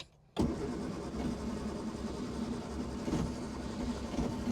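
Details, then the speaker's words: 1960 Triumph Herald dormant 42 years, first try on the key: starter turns the engine over at an even cranking rhythm for several seconds but it never fires; crank, no start. "It's trying. So I know brake cleaner doesn't work as starting fluid."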